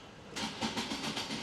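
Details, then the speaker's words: Turbo Nissan 350Z, jump-started after a few minutes charging from another vehicle, Costco battery questioned: rapid even metallic tinks, six or seven a second, while cranking with no firing; rotating part clattering, possibly the starter, unconfirmed. "That doesn't sound good at all. It sounded like a metallic, like tink, tink, tink, tink, tink. So, I don't know what that was. I wonder if that was the starter. Sounded like something rotating, so it could have been the starter."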